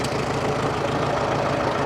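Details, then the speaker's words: Long-sitting 1945 Farmall H tractor, first start after the ignition wires were reconnected correctly: low, quiet, even idle with no misses or knocks; old engine running smoothly. "that's it this thing is so quiet I didn't even think it was running"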